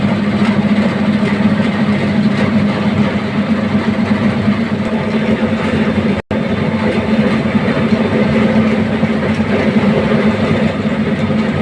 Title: Why is the AHU Motor Making Noise? #AHU #AHUMotor #MotorNoise #HVAC